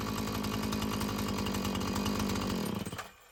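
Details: Husqvarna 445 chainsaw after cleaning and tune-up: burbles at a steady, even rhythm with no bogging or surging, then shuts off cleanly; it runs well, though the carburetor may need more adjusting as its diaphragm loosens.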